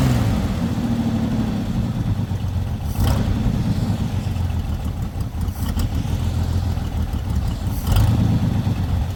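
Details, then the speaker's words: Lowrider V8 after the dipstick oil leak repair, now no longer leaking from the dipstick: deep, steady idle with a couple of short throttle blips that settle back cleanly, with no misfire. It reaches idle faster than before. Normal idle. "as you can see it doesn't actually take as long to uh idle as it used to"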